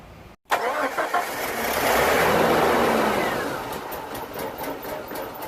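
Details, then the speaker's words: 1987 Jeep Comanche, AMC 4.0L Renix, died while driving; no fuel rail pressure, pump doesn't prime at key-on, runs on starting fluid: starter cranks steadily for seconds without catching; crank no start, owner suspects fuel pump. "There is no pressure in the fuel rail, and the fuel pump does not prime when you turn the key, so I have a feeling this is a fuel-related issue."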